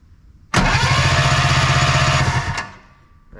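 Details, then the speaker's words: Arctic Cat Puma Deluxe 340 snowmobile, sat about 10 years, plugs out: two seconds of even cranking at about four turns a second, no firing; no spark. Coil primary measured 0.8 ohms, suspected faulty. "All right, you guys saw that, no spark. Put fuel right down the cylinders, no fire."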